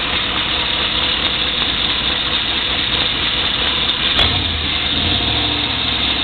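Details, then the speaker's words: 1994 Chevrolet Silverado 1500 at idle: dull knock, seemingly from the right side, and a harsh top end, appearing when the oil pressure gauge fluctuates; transmission nearly new; previously cleared by oil change and Lucas stabilizer; cause unknown. "knock I don't know where sounds like from right here on the right side I'm not quite sure"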